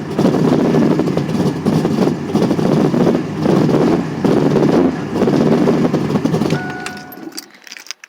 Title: ls2 stroker misfiring